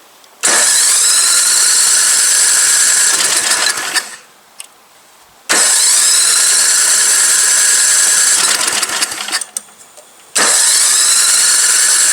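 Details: Old MTD Yard Machine snow blower, good compression, spark present and fuel reaching it: two cranking bursts of about four seconds each spin evenly and die away without the engine ever catching. Cranks but won't fire.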